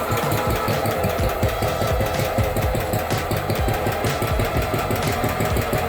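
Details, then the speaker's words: Allis-Chalmers B-10 tractor engine on its first start in years, cold, after teardown, cleaning and a new fuel line: lumpy, irregular low chuffing on choke. It won't stay running unchoked until it warms up. "Helen, it wants to stay choked for now until it warms up. That's the first fire this engine's had in who knows how many years."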